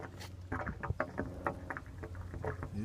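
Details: Soft, uneven gurgles and sloshes at irregular spacing as a garden water line drains after its house supply valve is shut off and a faucet is opened to let air in.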